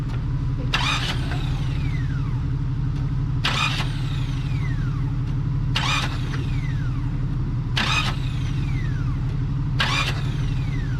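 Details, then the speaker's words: Jeep Cherokee just righted after a hard rollover, spark plugs removed and engine cranked briefly to blow oil out of the cylinders; fast steady starter spin with no firing and sharp hissing bursts as oil shoots from the plug holes. "yeah just crank it over see what it does all right a couple more of those do that once or twice more with a little bit more crank"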